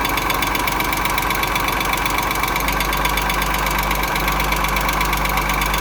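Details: 2.6 engine: steady light ticking of about four knocks per second over the idle, a regular knock from inside the engine. Cause not yet found.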